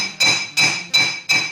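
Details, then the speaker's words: Honda CBF1000 rear wheel bearing replacement: four sharp hammer blows ring clear and bell-like, which the owner takes to mean the new bearing is fully seated. "ringing you can hear that means it's seated or as far as i know it does"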